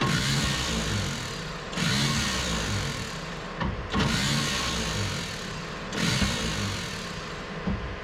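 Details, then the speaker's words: 1951 Chevrolet Advanced Design pickup, fuel-fed start attempt with choke off: starter whirs in about two-second bursts with short pauses, engine turning but never catching; starter then smoked, owner suspects contacts in the starter switch. "Slingshot, engage. Slingshot engaged. The starter is going to be a problem, ain't it?"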